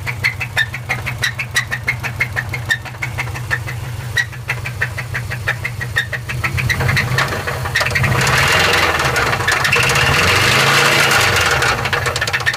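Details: Subaru Forester SF5 engine with a steady tapping knock of about three beats a second, washed out as the revs rise; owner fears the engine has died.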